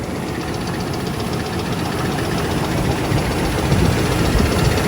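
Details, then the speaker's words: 2001 Oldsmobile Bravada at idle, burning oil and smoking under the hood, warning light blinking: rough idle with fast, uneven metallic tapping and faint squeak; metal-on-metal suspected, owner fears it needs a motor; squeak and knock at idle. "That squeak makes me nervous. Yeah. That could be metal on metal squeak. I'm afraid it's going to end up needing a motor."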